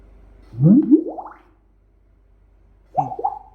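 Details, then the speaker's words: Bluetooth soundbar with a replacement small amplifier: single loud low thump at switch-on before audio plays; turn-on pop because the amplifier's mute/standby switch pin was left unconnected. "cuman suara duk yang di awal itu karena amplifier yang saya pasang itu E switchnya saya enggak pasang teman-teman ya"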